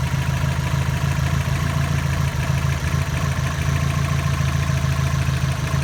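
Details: 2002 Subaru WRX hybrid turbo: oil pressure dropped to zero, oil cooler lines removed and oil refilled, then restarted; deep regular knocking at about three per second over a rough idle, suspected rod knock, not confirmed.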